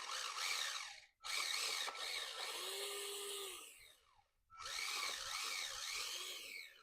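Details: 2003 Radio Shack Brum RC car, finished hobby-grade rebuild, demonstration run: high, thin electric whine in bursts rising and falling with throttle, smooth and even; drive motor running healthy.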